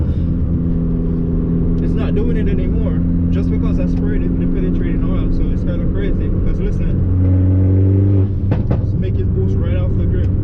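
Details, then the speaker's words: Fiat Abarth with Forge blow-off valve, previously leaking boost with check engine light, under boost while feathering the throttle: engine pulls cleanly and rises smoothly with no hiss or whoosh of escaping air; boost holding, no leak. "it's not leaking anything like the first time"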